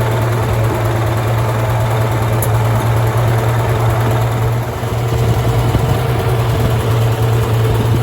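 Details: Farmall tractor (1949 H or 1968 656, unclear which) after carburetor adjustment, having not run over 30 seconds before; coolant was found 2.5 gallons low: steady even low rumble at idle, no misses, knocks or hunting. Runs really well.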